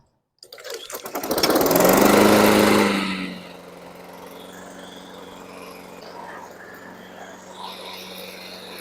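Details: $20 Honda Harmony push mower that only ran 2 seconds on choke, after a full tune-up, oil change, blade sharpening and non-ethanol gas: catches almost at once, roars up for two seconds, then settles into a steady, even run. Healthy.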